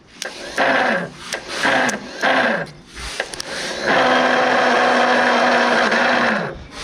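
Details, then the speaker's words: 1970 Ford Escort Mk1, cranked on a fresh battery with a questionable starter: short strained starter bursts sag in pitch, cranking slowly and heavily without catching; engine fighting, cause unconfirmed. "doesn't sound good does it no it's fighting and everything"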